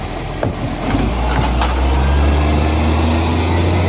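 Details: Ryde Green Waste SL757 spare garbage truck diesel under load: loud deep drone with a rough, raspy edge as it pulls; suspected exhaust leak, truck also reported slamming.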